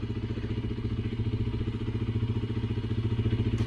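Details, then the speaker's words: Honda CBR 125R 2012 single-cylinder, 35,000 km, cold idle right after valve clearance adjustment: even, steady low thump with no valve ticking or knock; settings judged good, expected to run well once hot. "If you hear the knocking sound, it can be a bit loud at cold, but now I don't hear anything. I think the settings are really great."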